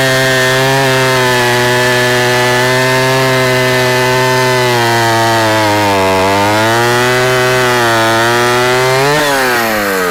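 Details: Vintage Husqvarna L65 chainsaw, 44 years old with points ignition, cutting a big oak log after being brought out of retirement: strong steady low buzz sags slightly in the cut and recovers. Lower rpm than modern saws but torquey; normal cutting under load.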